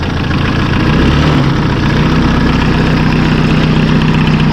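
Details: Massey Ferguson Super Pony tractor diesel after a spi (oil) seal and timing repair: a steady low clatter with an even chugging beat at idle and no odd knocks. The spi seal isn't leaking. Normal diesel idle.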